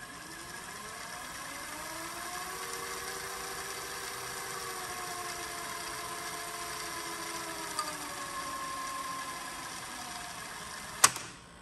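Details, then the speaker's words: Funai ZV427FX4A DVD/VHS combo recorder after repair: loud, even reel whir rising and easing in pitch during rewind; lacks tape-position sensor so no rapid rewind, normal for this loud transport. "this is about as fast as they go because like i said it doesn't get the position sensor so it doesn't do a rapid forward or re-run like the jvc's and panasonic's dude and yeah these transports are pretty loud"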